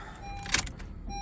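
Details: Honda HR-V, believed 2017, with a no-power/no-start fault from a missing ground on the engine block; 9.5 V drop found on the ground. With a temporary ground applied, a soft click then a steady dash chime: power restored, normal.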